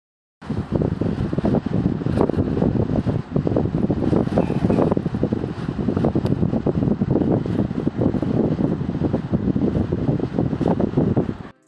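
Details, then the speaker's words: Lloyd split AC indoor unit, paper taped on to check airflow: steady rushing air with a choppy fluttering whoosh, weak airflow from the blower with an air cutting sound; AC not cooling properly. "you can see that proper air is not coming from the blower you can also hear the sound of air cut"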